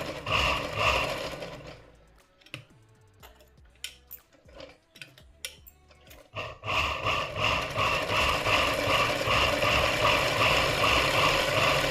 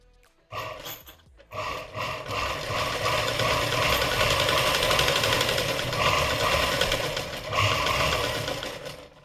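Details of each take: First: Domestic sewing machine just after oiling, which had a loud khat-khat clatter before: even, quick stitching clatter about 160 per minute with no heavy knock, noise dying down; normal running. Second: Domestic sewing machine running before oiling, loud harsh clatter about four beats a second from dry parts.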